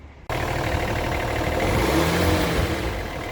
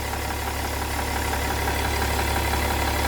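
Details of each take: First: BMW E60 3.0d M57 diesel after exhaust manifold replacement: revs rise and fall smoothly with no hiss or puffing; the earlier false-air sound from the cracked manifold is gone; normal revving. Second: BMW E60 3.0d M57 diesel with a damaged exhaust manifold causing power loss and some smoke at the manifold: steady idle with a constant airy hiss over the clatter; exhaust manifold leak.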